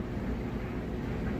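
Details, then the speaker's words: Amana electric dryer running: a smooth, steady low rumble of the drum turning, with no thumping, squeal or scraping. Normal dryer drum running. "You can also hear that it's running nice and smooth. Sounds great."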